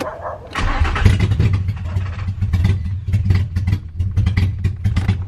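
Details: Nissan 350Z on its first start after a new engine and a fresh battery, with the intake not yet fitted: ragged cranking with coughing bursts and no clean catch; abnormal cranking noise with the intake off.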